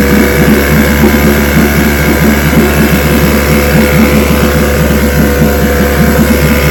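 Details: Vintage outboard two-stroke (restored, then repaired) started Wednesday morning with fuel on, full throttle and no prime, firing on the fifth pull: steady buzz with a quick regular beat, no stumbling or dropouts; it ran five minutes, showing adequate compression.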